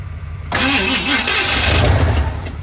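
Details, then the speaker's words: 1978 Ford F-150 plow truck, sat about a year and sucked up bad gas after an earlier carb rebuild: long labouring crank that almost catches but never starts; battery sounds weak, cause suspected; extended cranking, no start. "it almost came to life right there I let off the key cuz I thought it was going to going to do it again"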